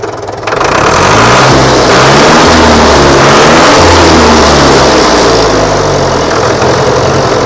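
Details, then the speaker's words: Tractor diesel catches after timing adjustment (earlier popping from over-advanced timing, then backed off a little) and settles into an even clatter rising and falling smoothly with throttle, no popping left; timing now sounds right. "Right, so that was too much timing, but it sounds much better, doesn't it?"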